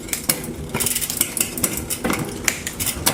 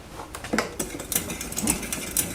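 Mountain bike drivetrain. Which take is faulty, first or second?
second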